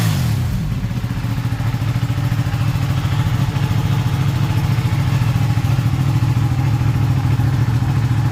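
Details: Ducati 959 Panigale race bike with a crank-no-start and misfire fault, started on a low battery after a part was cleaned. It fires quickly and settles into an even, thudding idle of about three and a half beats a second with no misfire, a normal start.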